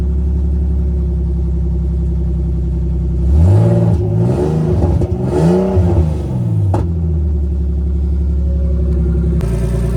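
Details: Big-turbo BMW E46 on a new tune, warm, open downpipe with no exhaust; engine blips up and settles back to steady idle, with extra rasp on the rev from a wastegate held on but not tightened.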